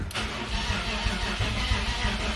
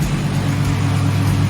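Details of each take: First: BMW E46 turbo, first crank in a long time with the fuel pump fuse pulled (zero rail fuel pressure) to build oil pressure, none shown yet: sluggish, uneven, laboured cranking that never fires, possible knocking or exhaust-leak noise; weak crank, cause unclear. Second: BMW E46 turbo after a knocking or exhaust-leak-like noise, with exhaust retightened, valve cover removed and PCV cam covers swapped: a smooth, steady low drone with no knock or tick. The noise is gone and AFR looks right.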